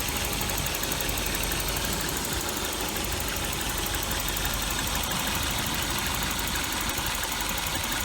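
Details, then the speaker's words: 1988 Volvo 740, 5-speed, after a valve cover gasket replacement. Even, steady idle with no misses, surges or knocks. Runs smooth and has never overheated, even in bumper-to-bumper traffic. "It runs nice and smooth. It's never overheated, even in bumper-to-bumper traffic."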